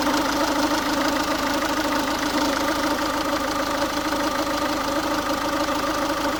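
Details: Ford Focus 1.6 TDCi diesel at warm idle: hard, loose clatter with roughly one uneven knock a second, noise only occurs when the engine is warm; cause unknown, owner asking for opinions.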